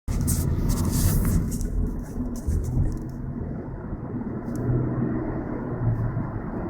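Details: Low, steady road hum in the cabin while driving, mistaken for a bad wheel bearing, but caused by Continental tires and fixed by switching to Michelins; tire noise hum.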